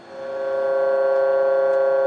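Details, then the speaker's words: U.S. military RT-834 HF radio (GRC-106A) receiving a 10 MHz, -80 dBm AM signal with 50% modulation of a 1 kHz tone: steady buzzy tone near 550 Hz with strong overtones instead of clean 1 kHz; receive off frequency, cause not yet found. "Okay, that's not a 1 kHz tone. Turn that back down again. That's definitely not 1 kHz. Okay, so turn that back up a little bit there. That's clearly off frequency, right?"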